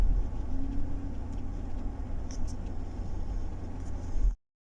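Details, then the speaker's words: 2012 Chevrolet Tahoe V8 after new spark plugs, with a cylinder 5 misfire. The rumble stays uneven and lumpy and at times worsens with throttle, which marks an electrical rather than fuel misfire. A cracked plug ceramic is suspected, possibly broken while tightening. "لاحظوا الآن هذا ضعف كهرباء، اللي قبل شوي كان ضعف بنزين. لاحظوا هذا 5 باقي موجود."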